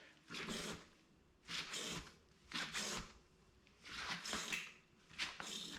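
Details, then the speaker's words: RockShox Recon RL fork on a 2019 Specialized Fuse, after adding an O-ring to cure a clicking, clanking noise; soft airy whooshes about once a second as the fork compresses, no clank or knock: quiet fork compression. "no more clanking noise all right guys thanks for watching my video that fixed the issue"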